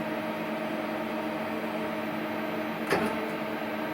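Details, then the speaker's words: Hardinge CNC turning centre turret, first run after strip-down and reassembly of the rear turret end (hydraulic solenoid valves, index motor); steady electric hum with sharp clunk, turret not indexing cleanly, cause unclear; abnormal turret noise. "whoops that doesn't sound good oh my God what's going on okay"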